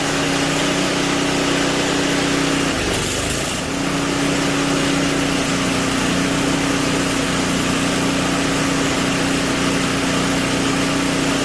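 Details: Simplicity 560 snowblower engine after a tune-up, testing the auger: new oil and spark plug, clean carburetor, electric and pull starters fixed. Steady, even drone holding one pitch with no misses, knocks or surging. Running properly.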